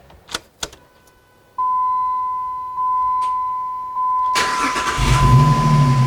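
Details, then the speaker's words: 2005 Jeep Liberty Renegade starting right after an Airaid throttle body spacer install with the K&N cold air intake refitted: chime beeps, then a quick crank that catches cleanly and settles into a smooth, even idle. Seems to be running okay. "Seems to be running okay."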